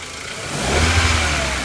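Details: 1999.5 VW Jetta MK4 2.0 petrol four-cylinder running rough and lumpy with a misfire on cylinder 4; owner unsure if spark plug, plug wire or coil.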